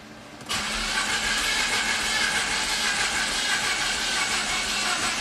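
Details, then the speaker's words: 2012 Mini Cooper S turbo, crank no-start, water drops on dipstick: starter cranks steadily with hissy, lopsided beat and never catches; scope relative compression shows cylinders lacking compression, confirmed by endoscope. "and it's dead okay well here's the here's the waveform as you can see i don't think we have enough humps here"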